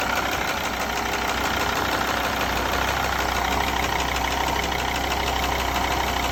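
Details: Mercedes ML 270 (OM612.963) diesel at steady idle: fast, regular injector ticking, seen as normal for this engine, plus a duller rhythmic banging underneath that is abnormal; source unidentified.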